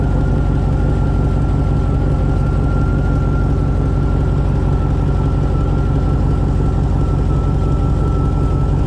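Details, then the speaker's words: 2000 Chevy Tahoe 5.3 V8 idling on the lift after rear main seal replacement, checked for leaks; smooth, even low rumble with a faint constant whine, no knocks or misses; running healthy. "Last thing we're gonna do before I bring this car to the ground, I'm gonna start it up, make sure there's no leaks, make sure nothing crazy is going on."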